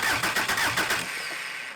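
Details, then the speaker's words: Junkyard VW Caddy 1.9 SDI diesel, about 190,000 km, out of vehicle, fuel lines not yet connected; short even starter cranking with regular compression pulses, no knocking, oil pressure light confirms pressure, turns over cleanly. "so let me crank it right okay looks like we had we have all pressure still holds it"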